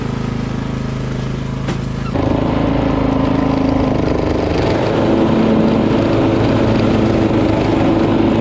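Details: Poulan PXT12538 lawn tractor started after heavy rain, with the fuel shutoff reopened, gas added and oil checked, catches and settles into a steady, even run with a firm throttle step and no knocks or misses; nothing was wrong with it.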